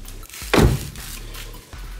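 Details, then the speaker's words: Renault Grand Scenic 3 front door closing after anti-squeak tape applied; one solid thud, no creak or squeak. Normal door closing, squeaks fixed. "так само нічого вже не скрипить. Усі скрипуни ми вигнали."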